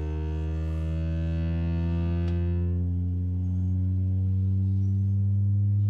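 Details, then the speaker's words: Driver's-side door speaker on a 2007 Ford F250 Crew Cab (6.0L turbo diesel), played with a test tone; the deep bass comes out buzzy and harsh, the speaker distorting and rattling. "I'm gonna try to get real close to it so we're gonna start at about 40 Hertz I can actually hear the other speaker rattling on the driver's side"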